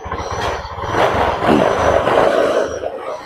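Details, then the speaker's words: Honda Beat ESP injection scooter that came in stalled, with bad relay, TPS and fuel pump faults: uneven, sputtering rise on opening the throttle, won't rev up cleanly; hesitation. "ini berembet ya di gas awal dia berembet pas kita gas konter seperti ini nah nah dia enggak mau naik"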